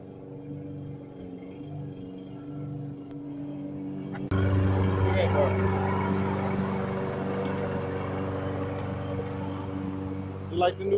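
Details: Briggs & Stratton mower that ran a couple of seconds and died, after it was cleaned and a part that wasn't engaging was refitted: quiet for 4 s, then it catches and holds a steady low drone without surging. Now runs healthy.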